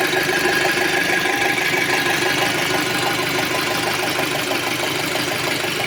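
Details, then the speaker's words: 2006 Audi A6 2.0 FSI turbo, warmed to 90°, oil pressure light coming on: fast, even ticking about three per second over a steady idle near the injectors; the owner suspects worn camshafts or the cam phaser. Valvetrain ticking at idle. "Єдине, що чути от зараз, якщо з цієї сторони тут форсунки, чути, що вони там трик-трик-трик, трик-трик, а з цієї сторони чути так."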